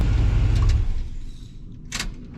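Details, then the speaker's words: 1976 GMC carbureted V8 after timing was backed off from too advanced and carb idle lowered: deep, even idle rumble with no missing or knocking before it fades out; sounds powerful. "She's idling good. It was a little revved up, so I had to idle it down on the carburetor. Right now it sounds really good right there. Sounds powerful."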